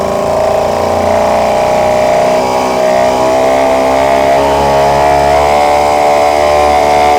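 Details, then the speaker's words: Yamaha 5 hp outboard at service check: steady, even buzzing with a clean constant note, no misses or knocks; runs normally. "Нормально работает."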